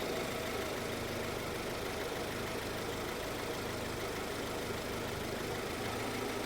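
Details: Honda CR-V (RD1) idling after a burst upper heater hose was repaired and coolant refilled, checked for head gasket bubbling: a steady, even idle with no knocks, bubbling or misses; the bubbling stopped and it sounds healthy.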